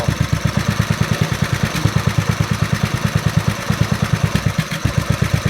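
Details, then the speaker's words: Snapper SR-Series mower with 10HP Briggs & Stratton single-cylinder engine, stored 10 years, on an Amazon aftermarket carburetor: thumping idle about three beats a second with uneven, skipped pulses; still missing from the exhaust side, owner suspects lean, though it doesn't smell lean. "It's still missing from the exhaust side, and that's probably lean."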